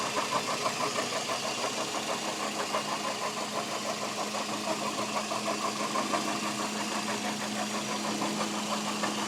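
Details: Toyota Echo 1.3 VVT-i petrol engine idling with a quick, fairly regular tapping of about three per second over a hissy background; mystery noise, cause unknown.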